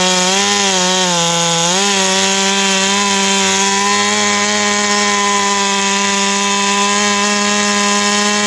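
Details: Ported Stihl 461 chainsaw after new Caber rings and repaired blown-out spark plug hole, full throttle in a log; climbs to a high steady scream, holding pitch without bogging: normal full-throttle cutting.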